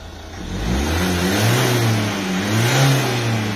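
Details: Nissan Qashqai dCi diesel, engine light on, revved in the workshop: low drone with a faint airy rush under load from a blown boost hose near the metering unit, wet and damaged; air-fuel ratio drops, causing engine over-fouling.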